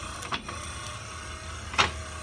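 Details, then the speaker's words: 1966 Ford Bronco windshield wiper motor bench-tested with a hot wire on the blue high-speed terminal: steady, very fast motor hum with sharp pops near 0.3 and 1.8 s. The linkage pops, likely because the mounting bracket sits too far back. "Okay, so the white is the slow side, and the blue is the high side. So the blue's like lightning fast."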